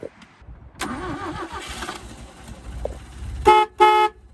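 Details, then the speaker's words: 1965 Toyota Corona, abandoned about 24 years, now running after a fuel leak fix: two short honks with a clear, steady tone and no rasp or warble; the horn sounds healthy. "this thing has a cooler horn than every car made after the year 2000"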